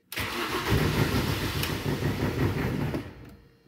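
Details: Mini, first cold start of the day, part of a recurring intermittent hard cold-start problem that sensor tests have not yet explained. The starter churns steadily, about 3.5 beats a second, for three seconds without catching: cranks, won't start, cause unknown.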